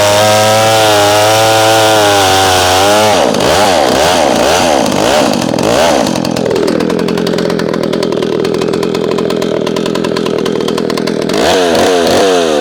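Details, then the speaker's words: McCulloch SP-125 chainsaw jetted two sizes down to a .028 jet, cutting: screams high under load, pitch wavering and climbing on the long cut, revs surging back to idle; leans out after long cuts, owner suspects vapor lock, plans .029 jet; lean mixture. "Just feels like she leans out after a long cut. And we're not burning that saw."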